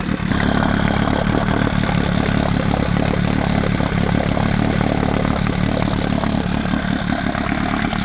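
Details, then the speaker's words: 1972 Johnson 9.5 two-stroke outboard, roadside find, fuel mix heavy on oil; blubbery, uneven burble around four pulses a second with a loping beat: running rich, with an unexplained misfire. "So, yeah, she's uh she's a bit rich."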